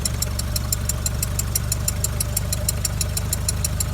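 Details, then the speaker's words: Skoda Octavia Tour 1.4 BCA 16-valve at idle: light metallic ticks about five per second from the cylinder head; owner suspected hydraulic lifters, but bleeding them didn't help, so cause uncertain. "вот слышно стук небольшой всё думал на гидре сейчас уже какие-то сомнения появились звук как будто с этой стороны но идёт из головы при этом"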